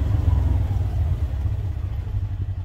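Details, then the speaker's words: Polaris Ranger XP 1000 Crew after two years of ownership, pulling away from a dead stop in high gear: a deep, even engine rumble with no clunk, chatter or slip. The CVT clutch engages cleanly and normally and is still in great shape. "my point that I'm trying to make is you don't really hear anything it sounds very normal you don't hear anything because the clutch is still in great shape"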